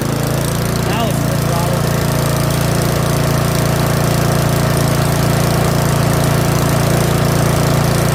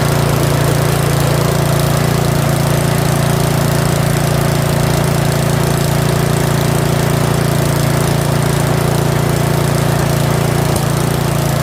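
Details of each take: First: Curb-find Yard Machines 21-inch snowblower with 179cc OHV single-cylinder engine, choke off, full throttle; fast steady chug that runs a bit unevenly, owner suspects old fuel, not confirmed; rough running. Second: Curb-found Yard Machines 21-inch 179cc OHV snowblower, possibly old fuel, running after full throttle and still holding idle a hair above the stop: smooth, even low drone, no misses, surges or knocks; normal steady running.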